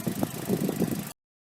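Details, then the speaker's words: Mazda 6 2.0 petrol after throttle body cleaning and refit, just restarted: brief low, even idle with soft regular pulses, no knocking or hunting; ticking over better than expected, previously rough idle and stalling. "Well, it started okay. It's actually ticking over better than I thought."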